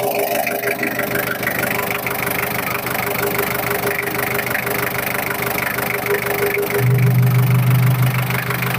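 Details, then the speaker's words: 1996 Daihatsu Taft Independent diesel, heard with the engine bay open at idle: steady even clatter with a low hum, no misses or knocks, characteristic sound, no blow-by smoke; normal healthy idle. "Dan inilah ruangan mesinnya. Ini suaranya masih ciri khas banget ya, masih belum ngobos."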